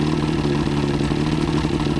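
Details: Outboard after head gasket job (prior overheat, head leaks), on water hookup: fast, even idle with steady beat, no knocking or rattles; runs fine, though water pipe leaks and owner thinks telltale water is low.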